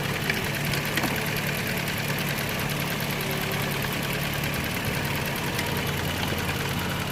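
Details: 2009 Toyota Land Cruiser GXR 1GR V6 after epoxy paste on the exhaust manifold, about ten minutes running: steady idle with a fast sharp ticking puff; leak persists, paste gives a chemical smell and fails under heat, welding needed.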